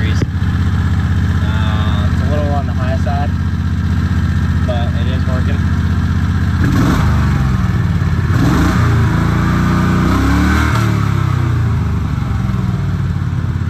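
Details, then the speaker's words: Predator 670 22HP V-twin in an EZGO Workhorse golf cart, at operating temperature, tachometer reading about 1800 rpm. A steady, even fast idle with no dips. Idle speed is too high, over the 1100–1200 target. "let's turn the key on does full cycle idling around 1800 degrees or sorry 1800 rpms"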